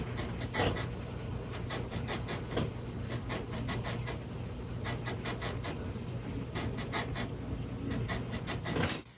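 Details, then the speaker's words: Denon DR-F3 three-head cassette deck: bunches of quick rasping chirps over a low motor hum, coming from the reel drive idler scuffing. "yes that is coming from The Reel drive I can tell you that immediately okay it's even coming down from there"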